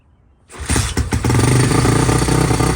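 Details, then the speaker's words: SSR YX140 pit bike, first start after build, Nibbi carburetor, air screw 1.5 turns out, choke on, no throttle: starts first kick, choppy idle with tinny rattle each firing pulse from a loose bracket later zip-tied. "As you can see, guys, she started right up first kick, but she's rattling apart."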